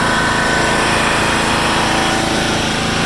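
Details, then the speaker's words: 1996 John Deere LX176 lawn tractor, Kawasaki engine, first start after sitting several years on a 9-year-old battery on jumper: wide-open throttle holds a steady, even beat with no surging or sputtering, no carb cleaning needed; normal high idle. "That's wide open right there. It's not surging or sputtering, so I'm pretty impressed."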